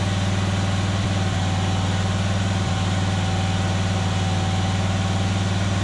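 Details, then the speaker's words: John Deere Z425 zero-turn mower, previously engine-swapped, after carburetor cleaning, warmed up with choke off: steady, even low idle with a regular beat and no misses, surges or knocks; running smoothly, likely a little better than before. "sounds reasonably good so I don't think I'm anything worse so I think I may have made it a little bit better"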